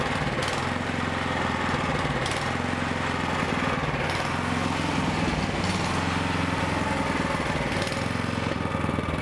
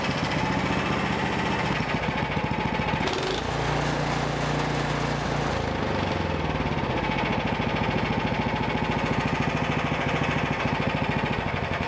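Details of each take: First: Toro snowblower with an overhead valve engine running unchoked before repair; revs rise and fall every couple of seconds, a carburetor surge attributed to poor fuel, fixed by a basic carburetor repair. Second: Small engine that had been surging, after the small carburetor jet was enlarged with a drill bit: it holds an even, fast beat without rising and falling. It now runs steady with no surging.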